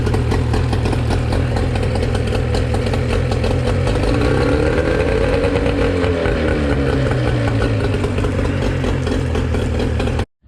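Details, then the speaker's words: Used outboard, compression 90 PSI both cylinders, previously winterized and fogged by owner, only missing handle replaced: restarts readily, good water flow, steady run with brief rev rise and fall, no knocks or rattles; running normally. "fires right back up good water just give us some RPMs and"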